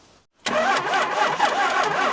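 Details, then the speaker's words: Dodge truck cranking: the starter turns slowly and laboriously, about four cranks a second, without catching. Suspected low battery; a fresh battery is to be fitted. "it is trying to start or it's cranking so I mean the battery is just low yeah it needs a fresh battery"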